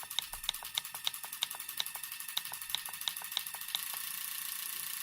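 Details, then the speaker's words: EZ EFI 2.0 fuel injection bench-tested without starting, after a no-start with FAST distributor: an RPM signal generator fires injectors at about 200–400 rpm through the MSD, giving sharp, evenly spaced high ticks about three a second, with a faint noise inside the MSD; normal injector pulsing. "Là vous voyez les injecteurs, ils bossent. Et on entend même à l'intérieur du MSD un petit bruit."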